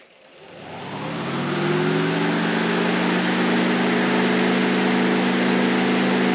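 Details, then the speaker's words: Electric radiator fan on a 1931 Ford Model A coupe hot rod (Ford 2.3L, T5) after swapping a melted-terminal bad relay for a junkyard one: whirs up over about two seconds to a smooth steady hum; fan motor not bad. "So in fact, my fan is not bad."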